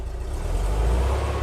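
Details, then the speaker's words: Porsche 356 air-cooled flat-four with dual carburetors, dead cold, reference for a Beck 550 Spyder replica: deep steady low idle about 700-800 rpm on throttle hold, even beat and no stumbles, running smoothly. "see how nice and smooth that is and we're idling pretty low about 800 700 rpm nice and smooth and the engine is dead cold"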